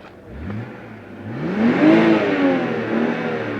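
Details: BMW 320i after a starter replacement, earlier no-start: engine catches cleanly and revs up smoothly, settling to an even steady run with no knocks or misses; sounds healthy.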